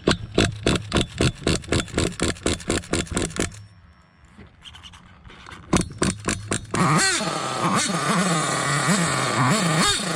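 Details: Hobao Hyper 7 RC nitro car, JL .28 engine after swapping faulty stock carb for HPI carburetor; sharp revving bursts then steady high-pitched buzzing run holding smoothly; normal running.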